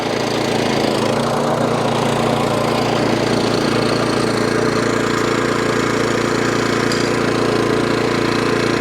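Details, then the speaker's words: Suffolk Punch 14SK cylinder mower, after carburetor clean fixed hunting, still cold, blades and drive engaged: even steady drone with reel whirring, no surging; runs sweet. "That's lovely. That runs as sweet as a nut."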